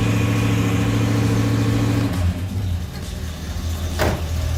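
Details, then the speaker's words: El Camino with new Goodwrench small-block crate V8, first start: catches and runs evenly, brought up in rpm, no knocks or misfires; about 20-22 degrees timing with vacuum advance connected, oil pressure present, not clattering. "It's got about 20, 22 degrees of timing right now. So that's good. Sounds good. Not clattering."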